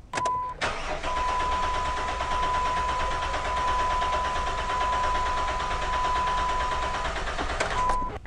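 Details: Engine cranks evenly and rolls straight into a smooth, steady run with no stumble, hiccup or misfire, after repairing a P0301 cylinder 1 misfire caused by a damaged valve spring; amp clamp on battery positive during cranking test.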